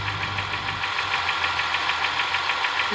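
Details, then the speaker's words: 2007 Honda Ridgeline V6 at idle: quick, even, light ticking persists after camshaft replacement, front and rear valve adjustment, and new serpentine belt, timing belt, tensioner and water pump; cause unknown. "Camshaft replaced. Valve adjustment front and back. New belt. Serpentine belt. Timing belt. Tensioner. Water pump. Ticking noise is still"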